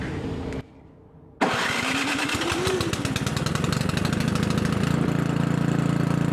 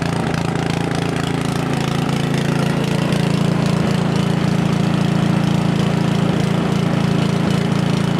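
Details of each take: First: Craftsman 900/22 single-stage snowblower after carb leak checks, choke on, primed: fires after short pause and settles to steady even beat. Normal running. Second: Craftsman 900/22 single-stage four-stroke snowblower started cold on choke with primer, carburetor leaking fuel: chugs with uneven loping beat, then note shifts and winds down; rough running from leaking carburetor.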